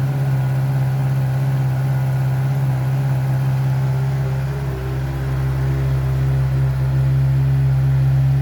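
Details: Heavy motorcycle after exhaust repair, polish, paint and reinstall: deep, steady exhaust rumble with a smooth blip midway, no rattles or leaks; normal exhaust note, pipe sounds sealed.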